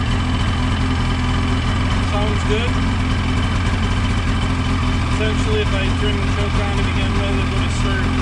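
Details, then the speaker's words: Ski-Doo 550F two-stroke snowmobile after cylinder repair and reassembly: steady, even idle with a deep low burble and no knocks or misses; normal idle. "all right let's give her a shot [Music] see that was a success"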